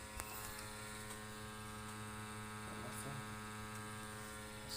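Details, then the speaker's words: Ideal Logic E12 regular boiler after cleaning the dirty combustion system and condensate trap: smooth, steady hum on ignition, vibration noise gone, burner running normally. "will hear that noise is gone there you go ignition sequels see smooth ignition that noise has disappeared and that's how it should be"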